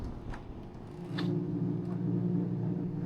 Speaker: This is the noise and this humming noise it could make.